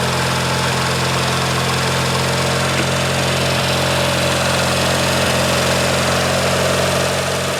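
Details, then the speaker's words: Craftsman GT6000 tractor, Kohler Magnum 18HP twin, early 1990s, after complete carburetor rebuild: steady, even idle with smooth firing beat, no stumbles or knocks; running clean and healthy. "better yeah that's amazing my goodness that sounds so nice this is one of those engines that I think if you take care of it just going to run forever"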